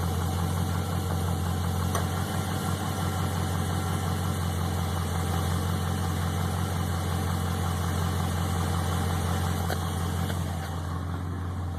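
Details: Chevrolet TrailBlazer SS V8 at idle: deep, steady rumble with a faint, loose knock ticking with engine speed; suspected piston slap, not confirmed.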